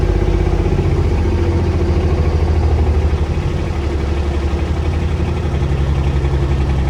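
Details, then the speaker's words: Old Intimidator diesel UTV, still cold: slow, uneven chugging about four beats a second with prolonged cranking, needing a bigger battery. Hard starting; the owner suspects the glow plugs are not working. "yeah so that's why i got the bigger battery always have to crank it for so long"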